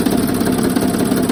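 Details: 2007 Sprinter with well-used, poorly maintained OM642 diesel just installed, idling with accessory belt removed: light steady tapping, loudest on the van's left side, cylinders 4–5; source not yet pinned down.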